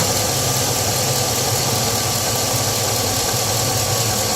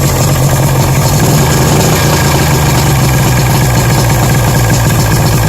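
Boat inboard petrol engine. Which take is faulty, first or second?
second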